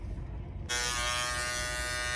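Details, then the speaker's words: Andis GTX-EXO T-edger clipper after replacing the broken bracket that holds the blade, gap gone: switches on to a clean, steady high buzz holding even pitch, motor and blade running smoothly; normal running. "yeah buddy things running smooth too back in the game and we back in the game clipp it back to where it need to be the blade back to where it needs to be yep done"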